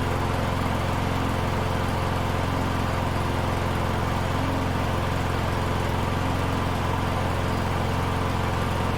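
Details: Troy-Bilt TB110 push mower with Briggs & Stratton 550EX single-cylinder engine, running after fuel system cleaned following months of sitting: steady but slow low putt; idle rpm set a little too low, needs adjustment.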